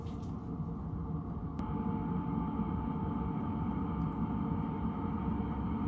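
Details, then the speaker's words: Chinese diesel heater mounted in a hardcase, running normally: soft steady roar and fan tone building as it is turned back up to 15–16 after holding 9 degrees, with the fuel pump ticking. "so now the fan has calmed down a little bit you can hear the fuel pump ticking away oh let's do this crank it up back to 15 16. and you'll hear it build back up"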